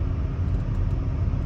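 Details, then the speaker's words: Volvo V70 five-cylinder, test drive on uneven country road after replacing front strut top mount (Domlager) that rattled over bumps: only steady low road rumble, no knocks or rattles; rattle now gone. "finde das ist jetzt weg also doch ein richtiger Tipp ich strecke gerade ziemlich uneben"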